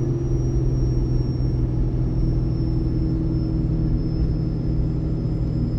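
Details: Ford 6.7 Powerstroke with MPD compound turbo kit, in second gear towing its biggest load downhill at about 35 mph, exhaust brake on, third of four tunes: a steady deep drone with no knocks; it seems to hold back harder than stock.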